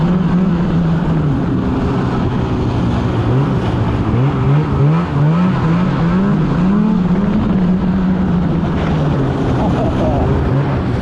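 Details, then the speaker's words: 2016 Polaris Indy 600 SP snowmobile on test ride: at half throttle it bogs and dies out, can't rev past about 6,200-6,500 rpm; engine surges then sags. Plugged fuel filter found to be the main cause. "even just a test right over here yeah half throttle this thing is bogg and dying out can't really rev over anything"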